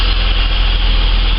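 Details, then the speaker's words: Holden VS Commodore after spark plug change, warming up: deep even idle holding steady speed; previously idle surged fast then dropped, now loads more stable. "so really hoping that this is all it was because yeah [ __ ] loads more stable the idle speeds actually nice and stable"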